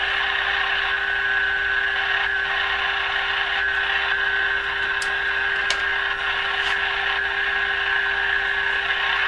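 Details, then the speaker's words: Canadian Crosley 12B radio, detector stage with a replaced 6SQ7 tube, tuned near 1010 from a signal generator feeding a long-wire antenna with no direct connection: thin tone barely above heavy hiss and crackle, a weak, noisy signal. "Now, unfortunately, the signal is coming through almost at the same level as the noise, and that's because there's no direct connection between the signal generator and the radio."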